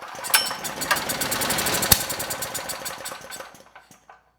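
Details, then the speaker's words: Generac GP6500E generator engine that had been seizing, compression suspected too low to fire, fed starting fluid with the air box front removed: pops into ragged uneven firing then sputters and dies, yet started first pull. "The compression, I think it is too low to get this engine to fire up, but I'm going to try with a little bit of starting fluid."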